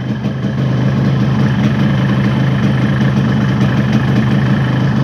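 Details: Yamaha RX-King two-stroke with a newly bought ignition switch, rewired AC-ignition contact circuit and a hand kill switch: an even, steady, low burble with no misses or knocks, a clean normal idle.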